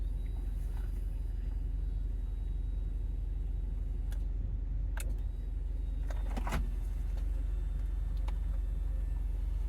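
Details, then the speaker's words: Audi 80 Cabriolet, 130k miles: convertible-top hydraulic pump after topping up fluid that was low. Steady low, even electric hum with light clicks as the top moves all the way; sounds much better. Normal operation; sensor or wiring problems still suspected. "it sounds a lot better already don't tell me don't tell me that's all I needed it goes all the way all right it goes all the way"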